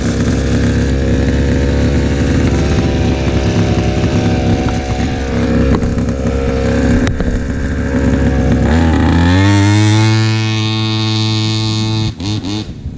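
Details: Old pocket bike with a small two-stroke engine, sat about 10 years, after a little tuning: it revs up cleanly with smoothly climbing pitch, no stumbling, no longer bogs down, actually drives and is pretty fast; normal running.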